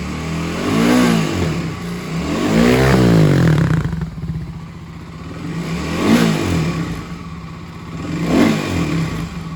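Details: Warmed-up Kawasaki KLX250S with 351 big bore kit and stock pilot jet, blipped quickly from idle several times: rattly clatter rides each rev rise and fall; source of the odd noise unknown.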